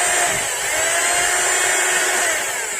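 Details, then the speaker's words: Rotary hammer drill in for service, slipping and unable to drill, before repair, in hammer mode: a steady high motor whine with no hammer blows. Only the motor makes sound; the impact mechanism isn't working. "well for sleep mode too A, the hammer isn't running So it's only the engine that makes the sound,"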